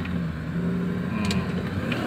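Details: 2000 Nissan Patrol, formerly sluggish with weak pull and black smoke, after complete Blackcore tuning, driven in D: the engine note climbs smoothly and firmly under throttle over road noise with no bogging or hesitation; normal acceleration.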